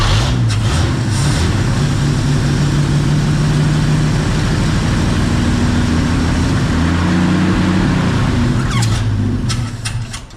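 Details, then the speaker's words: 1951 Chevy pickup with a six-volt points ignition, abandoned 40 years, primed by hand; it runs roughly for several seconds, then sags and dies; a stuck carburetor needle and seat is suspected of starving it of fuel. "We think. I mean, obviously, we think the needle and seat's stuck."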